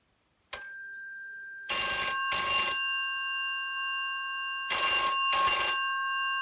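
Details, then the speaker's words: 1984 brown BT 8746 (Yeoman) rotary telephone with a 4000 ohm ringer: a single bell tap before the first ring, then strong, bright, clear double rings. Typical of the 4000 ohm ringer; healthy. "As you could hear, it did a bell tap before its initial ring. That's very typical of the 4000 ohm ringer as well."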